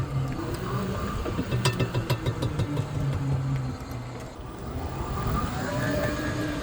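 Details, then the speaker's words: Tesla-motor-swapped Jeep first drive, slowing under regen: sharp light clicks about three per second come and go; suspected screw head hitting a mount, seemingly at rear driveshaft/output to rear differential, not confirmed. "So, it almost sounds like, you know, when when we're in regen, so essentially when the motor's uh kind of pulling the other way, that's uh something like the head of a screw is hitting on um a mount or something like that."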